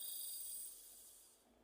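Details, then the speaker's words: PC cooling fan, removed because it was noisy, after a drop of oil on the bearing: soft, even airflow hiss fading away with no ticking, rattle or grinding; fan now runs quietly. "Vamos a probarlo Bueno ahí como ven ya quedó bien ya no hace ruido lo detengo"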